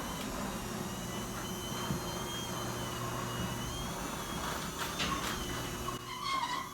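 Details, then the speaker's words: Garage door opener closing after travel adjustment was reprogrammed: a quiet, steady motor drone through the travel, then a few soft clunks and a click at the opener as it stops. The door stays closed. Normal operation. "And if we did the travel adjustment properly, everything will be perfectly perfect and the door will stay closed. You'll hear the click by the actual garage door opener."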